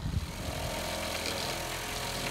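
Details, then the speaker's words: Seaflow Solar 12 V water pump after cleaning a clogged intake and non-return valve and repriming the lines; steady low hum with an even pulse under outdoor noise, running normally with proper flow restored. "all right so I've primed all the lines again and it and I haven't checked the um header tank yet but it sounds like it's all doing the right things so we're now getting the proper flow come through the um the seaflow solar pump now"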